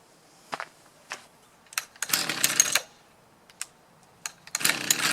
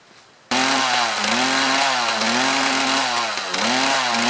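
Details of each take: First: Mantis tiller with a Kioritz Echo two-stroke engine bogging under load: a rough, uneven buzz that fails to rise. Suspected fuel starvation, possibly from a clogged fuel filter. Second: Mantis tiller with Kioritz Echo two-stroke engine, after cleaning carburetor area to fix bogging under load: steady high buzzing note, revs wander slightly and recover cleanly, no bogging; runs healthy.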